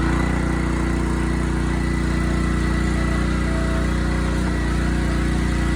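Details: Honda GX160 on a Splitfire wood splitter, earlier bogging under splitting load, after carb clean, jet check and oil change, warming up: steady, even low hum, no surging, misses or hunting; normal running.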